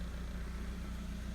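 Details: Suzuki SX4 idling with a non-AC belt fitted as a temporary bypass of the AC compressor, whose clutch pulley bearing had failed: a steady, even low idle hum with no squeal or rattle from the belt area, sounding healthy.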